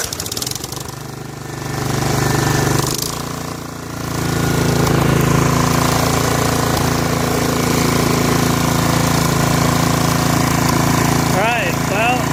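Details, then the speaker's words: Snapper SR1433 rear-engine rider, sat 8 years, running after carburetor work: steady, even low thump about four beats a second with no misses or knocks; sounds good, nice and quiet, smooth; normal idle. "It sounds good, runs good, nice and quiet, smooth. It's going to be a nice machine."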